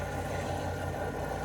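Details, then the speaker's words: Washer in a Maine island summer house, tested after the plumber restored water, run mainly to drain winter antifreeze: a steady, even hum with smooth low drone, no knocks or scraping; running normally. "And now I'm testing out the washer, mostly to drain the antifreeze out of it."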